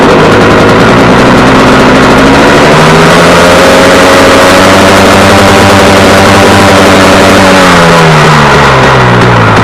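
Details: Warm KTM 250 EXC two-stroke on 40 pilot jet: after a small throttle lift the idle climbs on its own, hangs high and slowly drops back; owner says it runs away from being too lean.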